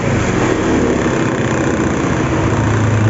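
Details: SYM Maxsym 400i scooter, which had spark and a working injector but no start, now running after the problem was solved: steady, even idle with no misses or stumbles, settled and running smoothly.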